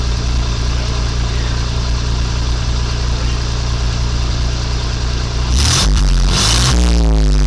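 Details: 1985 Chevy C10 with new custom exhaust, camera by the tailpipe, just started without coolant circulating: deep steady burble, a touch loud but even, then a smooth rev with no leaks or rattles. Normal exhaust note.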